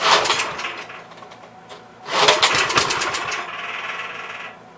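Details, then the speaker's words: Troy-Bilt tiller, parked, fuel line replaced, carburetor leaking: two short sputtering bursts that fade and die, won't keep running; had spark, bad spark plug suspected. "All the more it's doing, it should stay running. Makes me wonder if it's losing spark."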